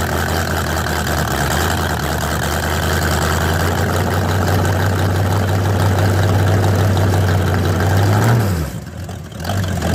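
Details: Old V8 El Camino at cold start, around 35-38°F, coolant status unknown: holds a steady, even low rumble at idle, then dips briefly and recovers; runs smoothly with no knocks.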